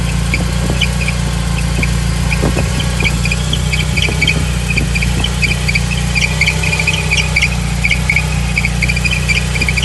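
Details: BMW E30 318iS petrol engine idling: a thin, high squeal that grows steadier and louder, heard on start-up and when the steering is turned, from a slipping power steering belt.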